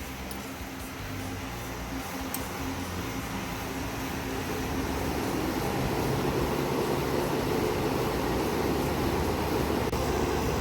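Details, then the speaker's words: PTAC unit after refrigerant leak repair and recharge with 21 oz (1 lb 5 oz) of R-410A: steady fan whoosh and compressor hum that settles and firms up after start, no rattles or hissing; low side pressure and discharge temperature good, running normally. "the unit is working in pretty good shape so this unit is ready to go"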